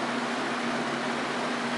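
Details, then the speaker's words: Junkyard Torcan box fan on high speed, grill refitted, barely shaking: steady even whoosh with soft low hum, no rattles or rubbing; very quiet, normal running. "Yeah, I just can't get over how quiet it is. Look at that. Eh, when it's sitting here, it's actually not even shaking hardly at all."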